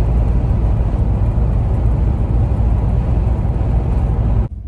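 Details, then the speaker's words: 1985 Chevrolet Caprice Classic, 5.0L 305 V8, ~153,170 miles, highway cruise after replacing the speedometer cable that caused loud squealing behind the gauge cluster: smooth, even engine-and-road drone, no squeak or tick; running normally. "so still driving here looks pretty steady no squeaking no noise okay steady on the highway as well"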